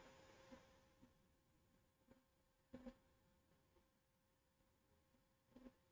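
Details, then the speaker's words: Anycubic Vyper 3D printer: faint steady mid-pitched whine from the cooling fans' PWM drive with a few soft clicks; fans sound like hydraulic-bushing types and need replacing, while the steppers are barely audible. "the pwm um noise on the fans is pretty annoying um and the fan noise is not horrible but not great they're definitely hydraulic bushing fans at least it sounds like they are"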